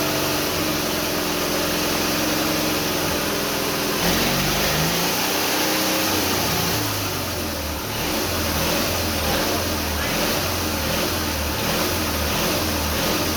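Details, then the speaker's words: Twin-cylinder Briggs & Stratton engine on a mini bike, first start with rebuilt carburetor and black-pipe exhaust: small twin barks evenly as the throttle is blipped, pitch rising and falling cleanly; fires on both cylinders, normal running. "fired right up on both cylinders it seems like"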